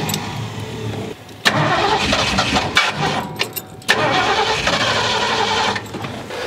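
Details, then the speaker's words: 1972 Ford F100, unrun over 10 years, 1408 carburetor: cranks, catches, runs ragged a few seconds, cuts out and stumbles again; starving, not enough fuel in the float bowls. "right now it's just running out of gas. There's just not enough fuel in the flow bowls."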